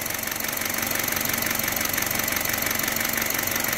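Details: 2011 Honda City, knocking after a flush; regular sharp knock about three per second over steady idle; engine knocking, cause unknown.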